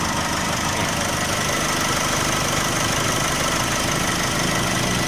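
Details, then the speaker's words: Nissan Navara diesel after repairing a broken alternator, its rotor rubbing the stator, and a loose idler pulley: even diesel clatter at steady idle, no knocking or rattle from the belt end; normal sound. "อสตาร์ทเครื่องเงียบเงียบกริ๊บๆๆตามเสียงก็คือเป็นเสียงปกติของnavaraและ"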